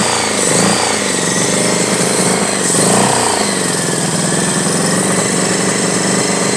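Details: 1983 Honda Goldwing Aspencade project bike, engine running for the first time after revival, started on full choke; loud uneven idle that wavers and stumbles, running rough and needing tuning; cause suspected, not confirmed.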